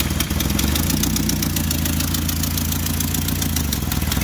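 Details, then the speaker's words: Nissan Silvia FJ20ET started after about a year and a half sitting: low, lumpy idle that wavers and never fully settles, blamed on an idle air control valve adapted from a late-80s BMW; fuel pressure just lowered; irregular idle. "also the idle air control valve from this car i was told is from some weird late 80s bmw that they had to adapt to it so that's why she idol's a little funny when she's"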